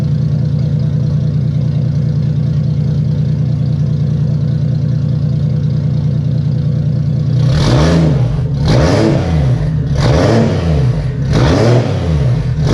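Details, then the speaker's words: Turbo Toyota Soarer first start after retrofitting a newer-style wastegate, wastegate not yet plumbed: steady even idle then four quick throttle blips returning cleanly, no exhaust puffing or tapping, nice and quiet. "We got it running, we got the wastegate installed, it's nice and quiet."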